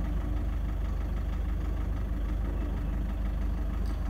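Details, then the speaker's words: Toyota Prado 150, 1KD diesel, after timing belt and front engine work: hard, rough knock at idle about two to three beats a second, recorded inside with the door open; weird injector readings, rough idle and revs racing back down point to a faulty injector. "Anyway, can you hear that knock at idle? It's a bit windy."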